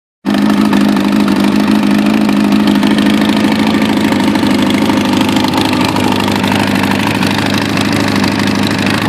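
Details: Kawasaki Ninja ZX-9R with Viper exhaust, exhaust pulled loose when hit by a car: loud, raspy, blatty idle from the resulting exhaust leak.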